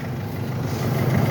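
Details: Mercedes that would not crank even with a new battery; its starter motor is hidden behind the turbo. A steady, even low rumble with no knocks or misses. A smooth, healthy idle.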